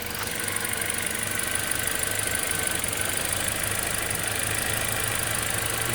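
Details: 2011 Toyota Corolla S four-cylinder idling in gear at a stop, worse with A/C on and no check engine light; uneven idle with occasional stumble and shake from a misfire on cylinder 2, traced to an intermittent faulty coil pack.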